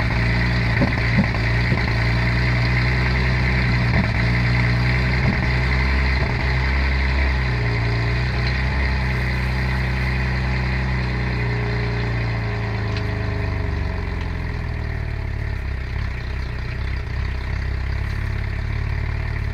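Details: 2011 Cadillac CTS with swapped LFX V6, cold start misfire on cylinders 2, 4 and 6. Recall cites porosity: cooling engine shrinks, letting coolant leak into the cylinder head, so it idles roughly, misfiring until the coolant burns off.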